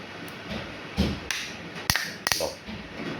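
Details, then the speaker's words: 220 V diaphragm solenoid water valve for 1/2-inch pipe, normally closed: four sharp single clicks about half a second apart as power opens it, the magnet pulling the diaphragm; normal operation, no rattle. "അതായത് ഇത് നമ്മൾ electricity connection കൊടുക്കുമ്പോൾ ഇതിൻ്റെ അകത്ത് ഒരു magnet രൂപം കൊള്ളുകയും ഇതിൻ്റെ diaphragm ഓണാകുകയും ചെയ്യും."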